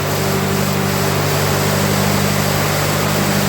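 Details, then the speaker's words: 1948 Ford 8N tractor four-cylinder, first start in rebuild with throttle given, after sitting and awaiting oil pressure: even steady low drumming idle, no knocks or misses; normal healthy idle. "And give her some throttle, and here we go. I told you this thing runs good."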